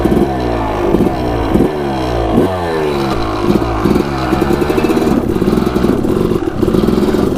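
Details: Suzuki RM250 two-stroke dirt bike starting on the first kick, revving freely in crisp rising blips, then settling into a steady crackling run; it sounds healthy. Normal two-stroke running.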